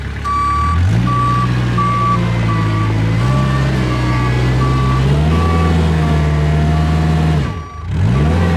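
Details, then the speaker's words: Kubota 520 hydrostatic wheel loader backing into a pile, a steep-hill reverse fault that is intermittent: diesel drones under load with even reverse beeping, lugging and dipping. Forward climbs the pile; reverse falls flat, possibly hitting relief. "So definitely proved that uh reverse just kind of falls flat on its face when you go into the pile and that forward it definitely wanted to climb that pile."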